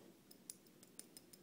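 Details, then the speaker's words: Les Paul Tune-o-matic bridge being tapped near the microphone: light bright ticks about six a second from loose saddles that move by hand and cause string buzz; fixed with beeswax. "so there's definitely some loose stuff going in here and kind of moving it around with my hand you can kind of see a little bit of movement in a few of these saddles"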